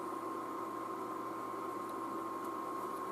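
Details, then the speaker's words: iMac G5 in target disk mode, hard disk suspected bad: steady airy rush with a thin constant whistle, no rattle or pulsing; cooling fans running super loud at full speed, normal for this mode. "well awesome it spins the fans super loud in target disk mode to have to listen to this now for probably quite some time"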